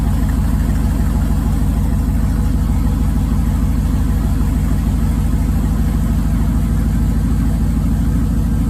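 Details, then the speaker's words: 2005 5.3 LS V8 in a 3rd-gen 1980s Firebird, flex fuel rail removed, throttle body changed, cold in Canadian winter and not revved. Loud, deep, steady idle with an even lope of about three pulses a second, no knocks or ticks; healthy cold idle. "Rev the snot out of it while it's cold, but sounds good to me. Oh yeah, music to my ears."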